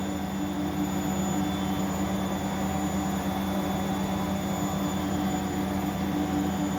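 Even, steady low rumble with a smooth hum, no knocking or grinding, so the drum is spinning normally.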